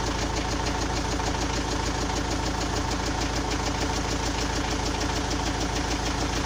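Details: Engine with an unexplained knock: even, crisp, rhythmic knocking about three times per second over a steady idle; cause unknown.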